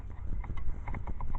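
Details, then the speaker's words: 2008 Ford Taurus X SEL, engine running: rapid uneven plastic clicking behind the dash near the gas pedal whenever heater is adjusted, from faulty left blend door actuator skipping teeth; heat stays cold. "this component right here was making a clicking noise every time that you turn the heater right"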